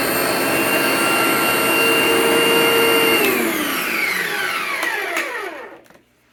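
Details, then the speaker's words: An IONA/Fantom NovaDry (Capture) carpet cleaning machine, thought to be a former parts donor, runs in vacuum mode. A high, steady motor whine sweeps down in pitch as the motor winds off. Normal, healthy running. "you can hear a slight change in the sound. So I believe based on how you manipulate this, it'll open an airflow duct to let the suction come into the carpet,"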